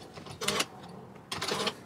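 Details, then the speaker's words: Mercedes Sprinter van, key inserted in electronic ignition switch: two short buzzy clicks about a second apart as the electric steering lock engages and completes its circuit; normal steering lock engagement. "Okay, that circuit, that sound is the sound of the circuit being completed. That assists you with the steering lock."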